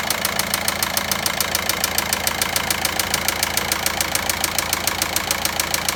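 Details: VW Passat 1.9 at idle: sharp, very even metallic ticking about 207 per minute; knocking noise, source undetermined.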